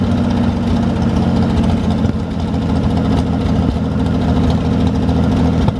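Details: 1973 GMC 432ci V6 engine, out of a parted-out truck and sitting unstarted almost five years, run after light prep: deep, even rumble with light throttle blips, steady rhythm, no knocks or misses; normal idle, healthy running engine.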